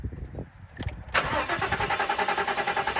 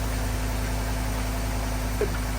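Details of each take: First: 2014 Ford F-150 crank no start from a fuel issue: steady starter cranking about five seconds with even compression pulses, never catches; fires on brake cleaner; burnt fuses. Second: 2014 Ford F-150 after crank-no-start fuel issue, melted fuel pump relay fuse found, fuse relocated to a new 20 A fuse: engine catches and settles into a steady, even idle with a low hum, starts and runs fine.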